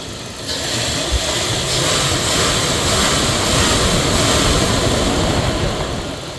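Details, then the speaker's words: 1999 Dodge Durango SLT V8, revived after sitting 14 years: a steady, even idle, lower than before, with a smooth low rumble and no misses or ticks after a vacuum leak was fixed. Normal idle. "Mint. Good as new. Oh yeah. She's back to normal."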